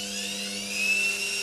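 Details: Indesit IWDE126 integrated washer dryer, bought as not working with flashing lights, now after repair: steady high motor whine with even hum beneath, no knocking or scraping; normal spin cycle.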